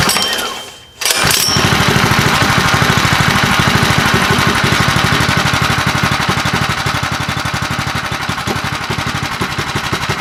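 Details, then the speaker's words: Predator 212 Hemi engine, full build with a 255 grind cam and PVL aluminum flywheel, first run: small single chugs settling into a steady, choppy beat, rougher than stock. Normal running with a performance cam. "sounds pretty good yeah it does you could definitely tell it's got a cam in it yeah it doesn't ain't got that smooth"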